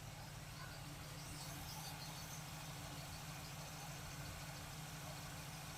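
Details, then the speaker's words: 1947 Ford street rod with a carburetor rebuilt a couple of years ago, likely gummy from disuse, on a hot day: steady, even low rumble with no misses as the choke opens. Warm V8 settles into a smooth idle, running much better. "We're good. Choke is opening up nicely. Sure is running a lot better."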